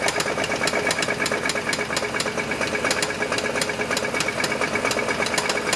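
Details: Chevy S10 engine running: sharp, regular knocking around two per second; isolated to the engine, owner suspects rod knock, unconfirmed.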